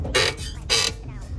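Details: Chevette front suspension, car rocked by hand: two slow dry creaks like dry metal rubbing, also heard turning the stiff, loose steering and over bumps; owner suspects tie rod end, ball joints or control-arm bushing, unconfirmed; suspension creak.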